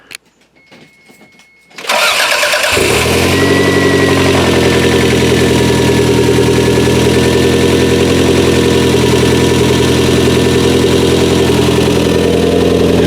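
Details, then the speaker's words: 3S-GTE turbo engine newly installed in an MR2, restarted after fixing an earlier rattle: cranks briefly, catches cleanly, settles into steady even idle with no rattle; sounds healthy. "we're gonna start this up again and I'll let you hear it without that rattling you guys probably bought that sounded like crap in the last few clips but uh I'll let you hear it now"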